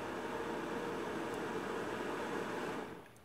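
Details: 1200 W inverter powered by a Maxwell supercapacitor pack, about 13 V and no load: a steady airy whir for under three seconds, then it drops away; the cooling fan runs normally during the startup self-test.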